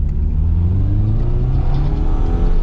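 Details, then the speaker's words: Subaru with a manual gearbox after a low-power repair and exhaust upgrade, on a test drive: strong acceleration with a deep, steady exhaust note rising smoothly in pitch; power restored, healthy acceleration. "oh yeah that's fixed it's fixed I can tell"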